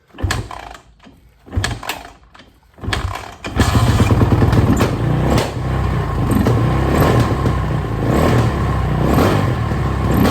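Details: Suzuki RMZ450 single-cylinder dirt bike, first start after major engine and cylinder head rebuild (old head dropped a valve), fuel on, choked: catches after a few kicks, revs surge and sag erratically; owner suspects lean condition as head glowed red hot within seconds.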